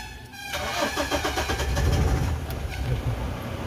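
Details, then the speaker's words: Mahindra Scorpio S3 diesel with hard starting after standing an hour or two: steady cranking about four beats a second without catching; fuel pump related issue suspected, not confirmed. "Hello hello दोस्तों यह गाड़ी है अ Scorpio S3 है जो कि starting problem होता है"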